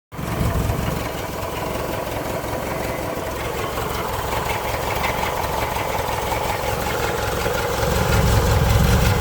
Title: 69 baja bug rattle noise